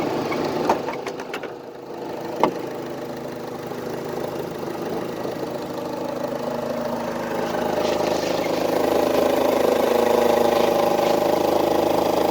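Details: Idling engine with no codes pending: steady hum, faint tone creeping up later, sharp tick early; two odd noises, owner suspects one from the turbo and one from the AC, unconfirmed; recent spark blowout under hard acceleration, plugs to be re-gapped.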